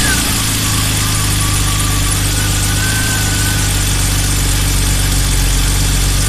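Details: BMW E34 M5 at idle while steering from lock to lock: thin chirping squeal wandering in pitch for a few seconds under steering load; drive belt appears to be slipping.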